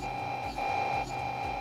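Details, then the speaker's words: Local single-tower home theater amplifier with Bluetooth on: constant high-pitched whine with a fainter upper tone, present whether volume is turned down or up and rising as controls are switched; noise and disturbance from amplifier ground fault. "आप यह देख रहे हैं यह कितनी नॉज आ रही है disturbance कितनी ज्यादा है आप वॉल्यूम बंद कर रहे हैं तो भी आ रही है वॉल्यूम खोल रहे तो भी आ रही है"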